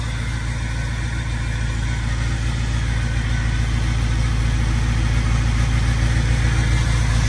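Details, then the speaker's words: Diesel truck, started cold around 19 degrees, slightly smoky: smooth even low idle rumble settling as it warms; healthy. "She's cold, of course. Might take a minute. A little smoky bear this morning. Just a little bit."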